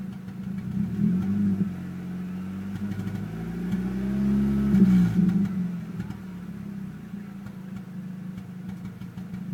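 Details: Petrol engine with AZH code idling with an uneven, lumpy beat, briefly revving before settling back to rough idle; misfire of unknown cause.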